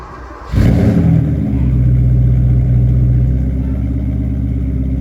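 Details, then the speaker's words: 1988 Porsche 928 S4 V8 with a rear muffler bypass and new tires. It catches quickly, revs briefly, then settles to a deep, even burble with no misses or knocks: normal idle. "the 88s for sure they just sound so good with simply a rear Muffler bypass on it"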